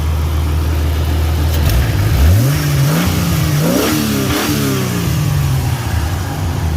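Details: Jeep XJ that had been shutting down, after a new crank position sensor, new air filter and fuel supply sorted; steady low idle, then a smooth rev with pitch rising cleanly and settling back, no knocks or misses, both fans turning; healthy running.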